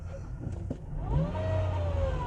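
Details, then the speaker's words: Dodge Caliber CVT transmission, 179,000 miles, codes P0741/P0777, revved in neutral: a clear, loud whine climbs and holds with rpm over the engine note; transmission whine, fault unconfirmed. "whoa it's barely pulling guys and it's loud whoa y'all hear that so based on the noise alone guys oh that is loud let me see i mean i just do some isolation it's whining and gearing"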